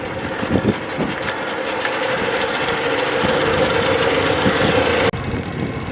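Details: 1996 Tohatsu M40D 40hp 2-stroke outboard after fuel pump repair: steady buzz rising smoothly with throttle, no misses or surging over water noise; runs cleanly, previously died at high speed.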